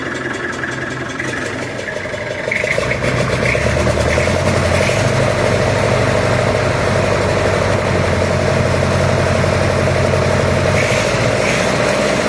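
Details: Massey Ferguson 65 diesel tractor after battery replacement, fast idle during alternator test: diesel catches and settles into steady even firm regular clatter; voltage rose to about 13.2 then eased to 12.9–13, alternator charging; normal fast idle.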